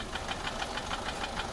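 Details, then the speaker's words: Peugeot 407 1.6 HDi diesel idling, odd noise since a road trip, slight white smoke from the rear: sharp light ticking about six per second from the top end; cause unclear, tappets or valve gear suspected. "فيها صوت غريب شويه صار له بعد ما خرج بها في الطريق"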